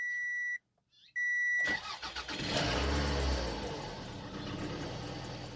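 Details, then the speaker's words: 2002 Toyota RAV4 4x4, 1AZ-FE, first start after reinstalling the repaired ECM: two warning chimes, short crank, fires straight away and settles into steady idle, though a dash warning light stays on; normal start. "Starts. That's good. That's a good thing."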